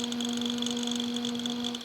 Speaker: hopefully you guys can hear how noisy that guy is and he's not too bad when he's standing up but when he's on his side like that